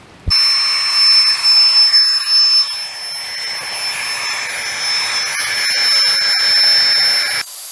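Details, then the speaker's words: Flextail Tiny Pump 2X USB backpacking air pump inflating an air mattress: even high-pitched whir with steady rushing airflow that doesn't waver; a little loud but running smoothly, normal operation. "yes it's a little bit loud but I've heard a lot louder because I've I've seen been around people when I was backpacking that had pump some of this and they were much louder than this"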